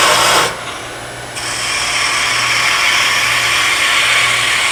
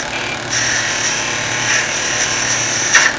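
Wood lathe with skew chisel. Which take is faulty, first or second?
second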